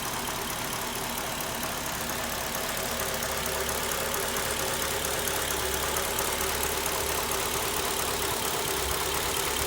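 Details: Mercedes CLK 500 V8 petrol engine at idle: fast, steady metallic clacking (klackern) over the low engine hum; cause unknown, owner asking what is defective.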